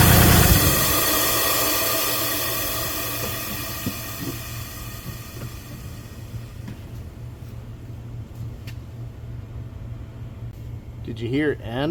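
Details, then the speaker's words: Kubota RTV1140CPX with D1105 diesel, low power and black smoke, full throttle in neutral then shut off: exhaust gases keep hissing from the muffler for seconds after engine stops, with smoke; muffler suspected severely restricted. "And after the engine shut off, you could still hear exhaust gases coming out of the muffler as well as smoke."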